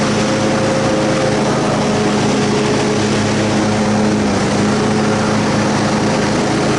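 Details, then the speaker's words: Troy-Bilt Super Bronco riding mower, received in pieces and restored, deck reinstalled with belts on and tested in the grass: even, steady engine drone with the blades engaged and no pounding or thumping; the deck drive runs smooth and the fix worked. "All right, that's a fix. So, we rejuvenated the uh the lawnmower. Everything's all good."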